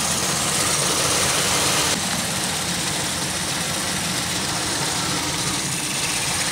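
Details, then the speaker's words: 2001 Pontiac Aztek just revived after sitting since February, warming up, no cabin heat: steady idle with faint airy hiss, strongest at first then easing; owner suspects a vacuum leak, possibly the rear PCV valve not sealing, unconfirmed. "have you hear the hiss I wonder what it's coming from all of these were on when I left like I said unless it's t"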